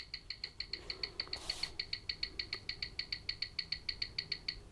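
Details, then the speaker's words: Old wind-up watch running about 10 minutes fast per hour after a drop, suspected magnetized, before repair, on a watch timer that fails to read: crisp regular ticking about five beats a second; running fast, hairspring coils touching. "now look if we put it on the watch timer down here it will fail to give a reading or sometimes it might come up with a load of pluses which means it's two it's not close enough to give a reading"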